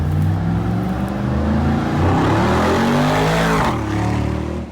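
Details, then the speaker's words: Rebuilt wrecked 2022 Mercedes G63 V8 after codes cleared and out of limp mode; pulls cleanly, pitch climbing smoothly and easing off, no misfire or rattle; sounds crisp, clean and healthy. "Right now it's better, a lot better. Oh yeah, sounds so crisp and clean, sounds healthy."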